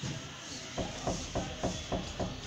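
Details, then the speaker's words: Hyundai Santa Fe: sharp, evenly spaced knocks, three or four a second, as a pry bar levers the worn upper transmission mount. This hydraulic mount is the source of the front suspension-area noise. "o outro que é aqui em cima é o do câmbio Então é ele que dá o barulho ó"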